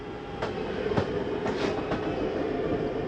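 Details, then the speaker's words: 2023 Jayfeather 30QB travel trailer slide-out retracting via the J-Command panel: steady motor drone with several sharp clunks near end of travel, the mechanism signalling it is done. This is normal retraction. "again, you hear the same noise. That's just the mechanism telling you that it's done."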